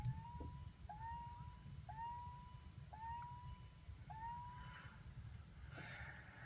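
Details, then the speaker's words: Car with original engine and transmission (past head gasket replacements, repaired drive axle): five thin, feeble horn honks about a second apart, each sliding up in pitch; the horn sounds weak and tired and needs a tune-up. "This one's beeper definitely needs a tune-up, as you can hear."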